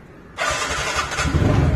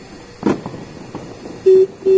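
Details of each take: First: 2018 TVS NTORQ 125cc scooter after replacing its 3-year-old battery that caused a sudden no-start: quick starter whir, engine catches at once and settles into steady, even idle; clean, healthy electric start. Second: 2018 TVS Ntorq 125cc scooter with 3-year-old battery, sudden no-start: faint click then two short beeps, no starter cranking, battery icon shown; weak battery, later replaced.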